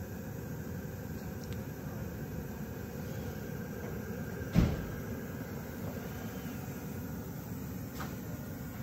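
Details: Webasto Airtop 2000 parking heater being fitted in Citroen Ami, trial run with thermostat turned down: quiet steady low hum, soft fan rush, one brief click; running evenly, then apparently cooling down.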